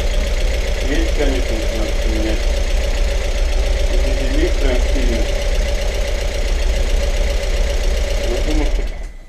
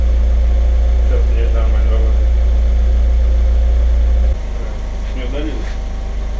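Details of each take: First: Audi TT self-rebuilt engine on first start: fast fairly even light ticking, about three or four a second, over the idle from hydraulic lifters still pumping up, no other noises heard; then shut off. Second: Audi TT with owner-rebuilt engine, after replacing spark plugs on two dead cylinders that had caused a knock: steady, even low idle with smooth regular pulse, no knock, settling a little quieter partway; engine sounds healthy.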